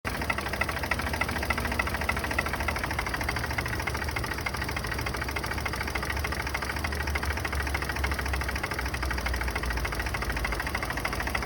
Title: Turbo b series piston slap cold start